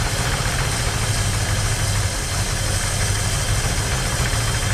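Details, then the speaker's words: 1968 Ford Mustang 289 V8 after sitting 30 years, running with a little fuel poured in; loud, steady idle with firm even lope, no stumbling or misfire, normal idle. "a little bit of fuel ready yep oh yeah there we go she's good now ready yep"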